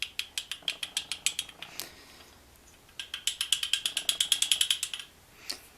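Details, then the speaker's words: NSU Standard Max 250 engine rebuild, clutch assembly on the bench: old clutch discs rocked in a worn basket give rapid dry metallic clatter from excess play between basket and discs; worn clutch basket clatter. "sometime that sound can be very loud depending on how much these parts are used up so every time when you change gear or change speed going faster or going lower you can hear that sound"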